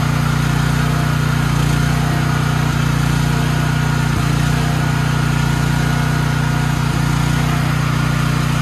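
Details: Troy-Bilt XP 7000 W generator, Briggs & Stratton 21 hp 420 cc, stored outdoors, just started on full fuel: even constant-speed drone, steady low hum, no misses or knocks; runs smoothly, though later no power output, traced to a faulty AVR.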